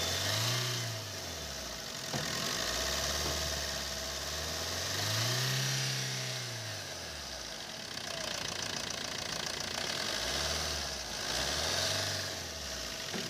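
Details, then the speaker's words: Maruti Suzuki Swift VDI diesel idling after the dried-out AC compressor bearing, cause of a grinder-like noise, was replaced: even, settled beat, no whine or rumble from the front belt area; noise gone, healthy. "और start होने के बाद में जो पहले चीज जो आवाज आ रही थी वह अभी सैंपल नहीं है है तो इसका जो कंप्रेसर का जो वे था दोस्तों बैरी हमने चेंज कर दिया कंप्रेसर पर और उसके बाद में जो आवाज थी वह आवाज वह सिर्फ वाली वह चली गई"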